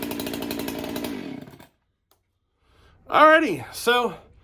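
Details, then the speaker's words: Freshly built chainsaw, cold start on a chilly day during break-in: catches and runs a second or so with a thin, uneven burble, then sags and dies; lean low-speed circuit when cold; owner may richen low-speed. "she seems a little lean on the low speed circuit for a cold like a cold start like today"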